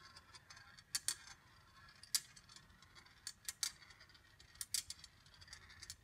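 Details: Congreve rolling-ball clock after oiling pivots, adjusting the escapement and leveling with shims, tipping every 15 seconds: quiet crisp metallic ticks and small clicks at an uneven pace; running normally.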